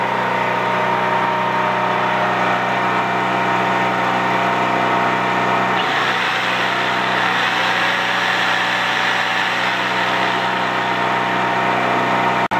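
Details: Used Champion C46540 generator after tune-up (cleaning, oil change, new spark plug, oiled air filter): steady even drone holding one pitch, no misses, knocks or surging; normal running.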